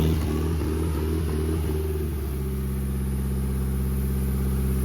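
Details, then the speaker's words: Newly bought SR20DET engine started on a pallet on the ground with good oil pressure and no blow-by: a steady, even idle climbs smoothly with revs and settles back, with no knocks or ticks. It is a healthy, solid runner. "Look at that. sweet. That thing's a good solid runner."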